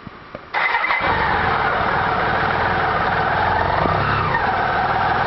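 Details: BMW K75 RT motorcycle engine at cold start: fires after brief crank, settles into busy idle with harsh raspy edge; abnormal cold-start noise, cause unknown.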